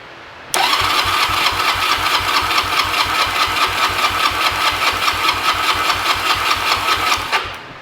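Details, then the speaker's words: 2006 Honda Rebel 250 that sat 10 to 11 years, compression test on the right cylinder number two, oil in the cylinder may raise the reading: steady even cranking about 2.5 pulses a second; about 176, good. "and right at 176 something like that so we got good compression on both cylinders"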